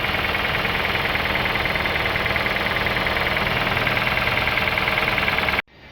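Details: Honda City petrol engine at idle: fast, steady, sharp metallic knock every turn from damaged connecting rod pieces; the engine was replaced, which cleared the noise.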